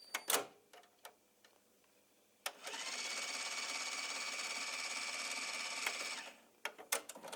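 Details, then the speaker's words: Philips DCC 600 playing a recorded Philips 90-minute tape: steady high hiss and whirr between handling clicks with no programme audio, occasional brief digital noise; tape suspected of running at the wrong speed. Owner suspects the cassette, not the machine; not confirmed. "There is a Philips 90 minutes recorded tape that makes this noise when playing. And I believe it is not running on the correct speed, as no audio from it. Sometimes jumps up some digital noise for a second."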